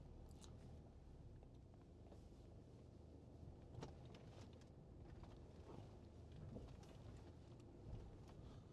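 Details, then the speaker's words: 2013 BMW 520d (F10) diesel with 193,748 km, driving over a bump: low cabin rumble with a few soft thumps and no underbody clunks, knocks or rattles. An earlier noise came from a licence plate placed in the car. "엄청 센데 하체 소음 없습니다."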